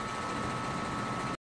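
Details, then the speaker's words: Home central air conditioner compressor starting after installing a 5-2-1 hard start capacitor: smooth, steady hum from the first instant, no hesitation, clunk or stall; no noticeable difference from before; normal start. "so i don't think i notice the difference between the start uh of the capacitor after adding the new hard start capacitor in there"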